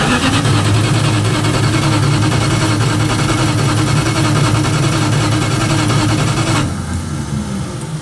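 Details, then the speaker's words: 1967 Dodge Dart sitting 5+ years, very dim headlights: deep even starter rumble for about seven seconds, no firing; cranks but won't start. "so she's cranking but she's uh I don't want to burn up the starter here but um she's not running"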